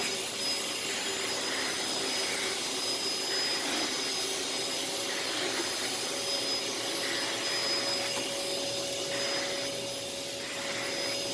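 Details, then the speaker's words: Thrift-store Samuel vacuum cleaner (bought for five dollars) running with hose and floor nozzle: even, smooth motor hiss with steady high tone, no rattles or surging; noticeably quiet, good suction, slight smell, filters need cleaning; normal running. "so yeah this one i really like it's a lot quieter"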